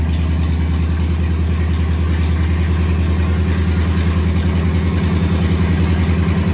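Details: 1969 Chevrolet C10 truck V8, newly got running with brakes bled: low, steady burble with an even, slightly lumpy beat holding its speed; settled idle with no knocks or misses.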